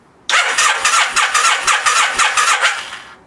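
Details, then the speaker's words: 1987 Kawasaki Vulcan 1500, sat 22 years, after swapping bad jumper cables for a good pair: strong, even cranking of about four compression pulses a second for nearly three seconds without firing; starter turning the engine properly, spark not yet checked. "Alright, so after diagnosing that I had a bad pair of jumper cables, I put a better pair on, and now cranking."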